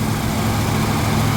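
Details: 1977 Ford F-150 idling while charging is checked; reading 14 volts, owner suspects still slightly off: short burst of low, even idle rumble, no knocks or misses; sounds healthy.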